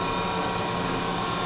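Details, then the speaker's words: Grisetti cylindrical grinder with the spindle running: smooth, even hum with a steady fine hiss and no knocks or surging; the spindle runs very quietly and healthy. "Very quiet machine. Very quiet."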